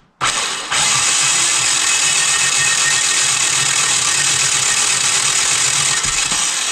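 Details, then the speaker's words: Yanmar two-cylinder diesel from a microcar, head recently removed, injection pump fed straight from a can; starter bridged with a screwdriver whirs and the engine chugs unevenly but won't fire. Diesel exits the return, none from the injectors; owner suspects a seized injection pump. "n'ai pas de gasoil qui vient. J'ai du gasoil qui sort par le retour, comme vous pouvez le voir, mais il n'y a pas de gasoil qui sort par par les injecteurs, et ça, pour l'instant, je ne sais pas pourquoi."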